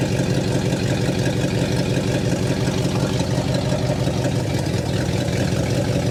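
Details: 1960 Pontiac Catalina 389 V8 sat since 1985, now fed from a boat tank via electric fuel pump: even, steady low idle rumble, no misses, knocks or ticks, no fuel leaks, exhaust sounds good; dwell still far off.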